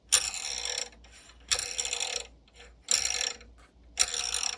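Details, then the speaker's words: Bambu Lab P1P/P1S/X1C 3D printer Y-axis, top assembly removed and rotated by hand: harsh rasping grind in repeated strokes as a damaged linear bearing slides over a groove it wore into the rod; bearing to be replaced. "Well, it's grinding because it made a little groove on this. I can feel my finger."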